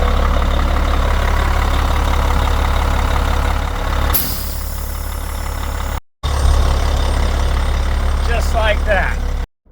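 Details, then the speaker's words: Diesel motorhome at idle, engine air compressor building pressure past about 92 psi after air dryer replacement; steady idle, then a sudden sharp hiss as the governor unloads and the air dryer purges. Normal air dryer purge at compressor cut-out. "all right we're still building up air pressure in here almost built up should pop off at the dryer here"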